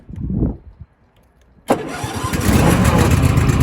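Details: Cub Cadet LX42 XT2 Enduro lawn tractor, model 13AZAICS010, with a fuel-injected Kohler twin-cylinder engine and 42-inch deck: short crank, then it fires at once and settles into a steady, even V-twin idle with no hesitation; normal start.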